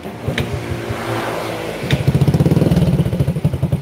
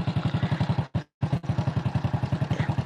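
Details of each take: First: Honda Supra X 100 (NF100), unserviced for 3 years, after combustion-chamber cleaning and cam-chain replacement: catches and settles into an even putter of about four beats a second with no chain rattle; idle smooth and stable. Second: Honda Supra X 100 (NF100), unserviced three years, kick-started, noise on left side: dry clatter each firing pulse at about 220 a minute over steady idle; worn, stiff cam chain roller.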